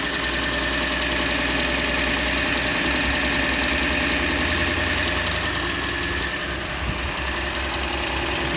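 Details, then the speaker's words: Ford F-150, cold start at idle with coolant just below the cold mark: a faint high squeak like a fan belt squealing, plus a light steady tick; owner says it does this when damp, probably a bearing, not a major issue. "sounds like a fan belt kind of squealing a little bit but it's not a major thing really"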